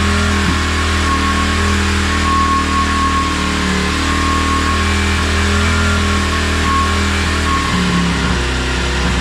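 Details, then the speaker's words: 2016 Tao Tao 110cc pit bike after top end rebuild (new piston rings, timing set at TDC), first start with oil in: starts on one kick and runs at a steady, even pace without misfires or rattles into a clean idle; running fine. "Wow. One kick Betty. So much better."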